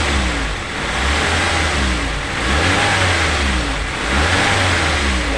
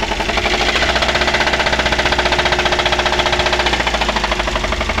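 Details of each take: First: Daihatsu Gran Max sand-hauling van after repair for a knocking, misfiring, weak engine, run in for a day: engine rises and falls smoothly through several blips with no knocking or stumble; healthy after repair. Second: Daihatsu Gran Max engine, rough and down on power, being revved: fast heavy hammering knock keeping pace with revs, like the engine will break; connecting rod knock, gone after repair.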